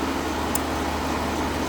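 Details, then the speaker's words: 2019 Dodge Ram 1500 Classic Tradesman after throttle body and intake cleaning and reinstall: even, steady idle hum with low drone, no ticking or stumbling apart from one brief click, radiator fan working; normal healthy idle. "Okay, everything seems to be running perfectly. Radiator fan is good."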